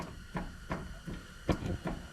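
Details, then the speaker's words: 2007 Jeep Wrangler JK steering with the wheel rocked back and forth: dull clunks about every third of a second. Movement is seen at the worn tie rod end on the drag link by the pitman arm; replacing the drag link and steering damper. "so this is the problem this tie rod end here is what's causing keep going Cole"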